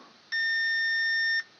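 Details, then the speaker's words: Fire-damaged EB832 unit, short likely before the fuse, main output controller tested for a short: steady high-pitched continuity beep for about a second means the controller is shorted and dead. "and you can hear the bip that means that the controller is gone guaranteed at this point the controller is gone"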